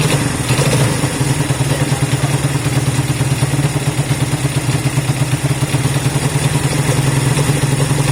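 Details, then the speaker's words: Honda CB200 twin idling after first start in many months of storage: even steady putter, no misses, rattles or hunting; normal healthy idle. "that sounds alright little bits right all right I want it to kind of idle for a few minutes so that's good it started up yeah really good"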